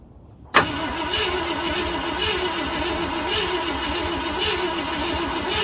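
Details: 1969 Ford F-100 that sat in the woods for years with a locked-up motor freed to spin over, new spark plugs, weak battery: starter engages abruptly and churns with a steady rhythmic cranking pulse but never catches; cranks without starting, cause unconfirmed.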